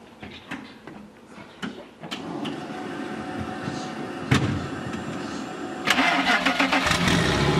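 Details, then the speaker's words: BMW M50B25 turbo double-VANOS engine, self-built, first start: cranks and settles to a cold, rich idle with a light, quick top-end ticking, not very loud, because there are no hydraulic tappets; normal solid-tappet valve noise. "Do you hear the light clicking noise? There are no hydraulic tappets. But the noise is not very loud."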